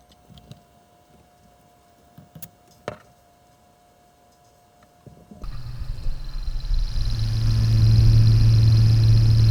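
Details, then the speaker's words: Xbox One S cooling fan spins with steady low hum and regular tapping about four ticks a second, unchanged after spraying bike chain lube into the fan; ticking persists. "Right, so I'm sure you've already heard, and I've just heard myself, that it's still exactly the same, making the exact same noise."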